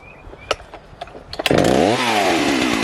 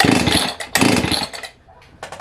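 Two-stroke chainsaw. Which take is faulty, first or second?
second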